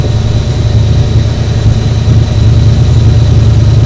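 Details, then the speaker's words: Ford 7.3 IDI diesel truck, thought to have sat unrun for 8 years: cranks steadily at cranking pace but won't fire, even on starting fluid; a popping pushing back was heard, cause unknown. "It should have fired off the starting fluid. Yeah. That's weird."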